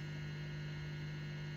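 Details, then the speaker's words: 1950s Oahu Valco Supreme valve guitar amp, 110V, original RCA tubes (5Y3-GT, 6J7, 6SC7, 6V6-GT), about 65 years old, volume cranked: steady low hum with faint buzz, no crackle; normal residual mains hum. "about as much harm as you'd expect from an amp that 65 years old"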